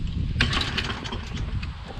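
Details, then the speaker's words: Toro Recycler mower with Kohler XT675 engine, carburetor previously cleaned: uneven low chugging as it labours to start and never settles; hard starting, low magneto spark suspected, not confirmed. "see if the carburetor is clean it should start up right away right but if it's getting low spark it'll have difficulty starting"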